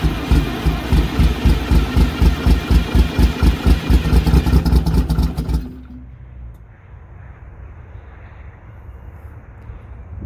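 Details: MCI MC8 diesel bus, sat about two years, started from front controls with rear start controls not working, coolant low, batteries suspected weak: slow even cranking about two strokes a second for five seconds, then the starter stops; never catches.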